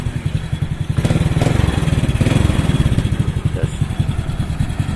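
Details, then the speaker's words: Honda Supra Fit carbureted motorcycle after fixing a flooding carburetor, idle set with a tachometer after finding peak rpm: steady, even low putter with a stable idle that no longer stalls. "Oke lah segini nih, yang penting udah nggak mati."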